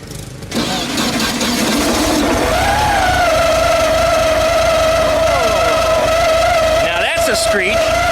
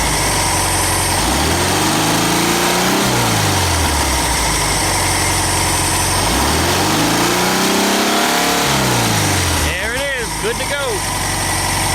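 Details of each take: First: VW Super Beetle after installing a new alternator, starter and distributor: right after the engine catches, a steady squealing tone rides over the idle as the cooling fan rubs inside its shroud; it stopped once the alternator was in and the clamp tightened. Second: VW Super Beetle air-cooled engine with new distributor, idling before timing-light check; even, steady idle with a smooth rhythm and a couple of clean rises and falls in revs, running healthy.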